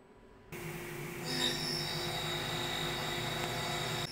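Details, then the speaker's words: CNC machining a prototype belt part in a vise, proving pass: steady rough cutting noise with thin high ring; harsh cut, machinist wonders if it's the saw-cut edge, cause unclear. "That sounds awful. Why does that sound awful? Is it just cuz it's going around that saw cut edge?"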